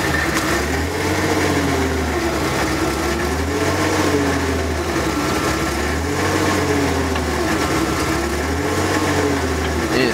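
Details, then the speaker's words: About 1994 Ford F-150, 300 straight-six, cold, after a fuel filter change: steady idle that swells and sags about every two and a half seconds, runs badly only at idle. Owner suspects debris in the fuel line; cause not found. "doing like this pulsating if you guys can hear it just being weird like that it's got some [ __ ] in the line"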